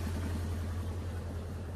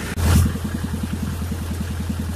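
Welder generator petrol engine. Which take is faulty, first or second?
second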